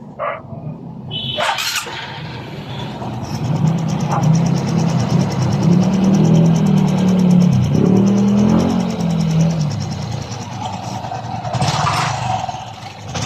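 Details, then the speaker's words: Honda RS 125 Fi engine at idle with throttle blips after rebore and reassembly, air cleaner and exhaust refitted; previous piston slap confirmed, and it now sounds like brand new: even, steady, tight, no slapping or knocking. "Oh my god Wow balik na sa brand new ang kanyang tunog"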